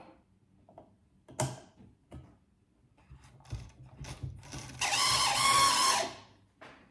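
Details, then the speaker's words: Vintage Hornby 00 InterCity 125 model train, motor and pickup wheels just cleaned, first run: scattered handling clicks, then about a second of fast whirring with thin high squeal; owner says he knows the cause, unstated. "It's making a squeaky noise, which I know exactly what it is, but it's working, and that's all that matters."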